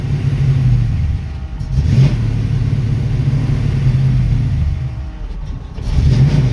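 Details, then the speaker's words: 1966 Mustang with a Holley 650 double-pumper carb, in neutral: the V8 rumble surges with each throttle pump and dies once off the gas. The idle screw doesn't help; fixed by adjusting the carb's transfer slot. "neutral see so the moment that I let off the gas it it died on me"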